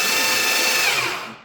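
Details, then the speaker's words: Rebuilt starter, tested after reassembly: quick, even starter whine, turning much faster than before with no laboring, dead spots or heat, spinning down at the end; normal cranking. "Oh yeah, it's way faster. 4, 5, 6, 7, oh yeah. Turning much quicker. Way better sound, it's not laboring."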